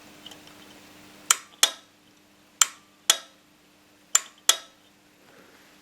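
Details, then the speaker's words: Honda Accord starter relay tested with 10–12 volts on the control circuit during a no-start diagnosis: six sharp clicks in pairs as the relay snaps in and releases, closing the circuit; relay working normally. "crois que c'est clair on l'entend bien bon là il faudra me croire sur parole j'ai fait le test avec mon assistante qui a tenu en même temps leurs maîtres de ce côté là quand j'ai envoyé 10 ou 12 volts ici ça a bien fermé le circuit"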